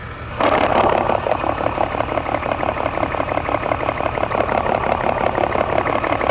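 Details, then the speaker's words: 1999 Toyota Tacoma with random misfire and P0305 code, electronic stethoscope on a known good fuel injector: crisp, even ticking at a steady quick rate over a quiet idle; normal injector clicking. "Okay, that's a good fuel injector."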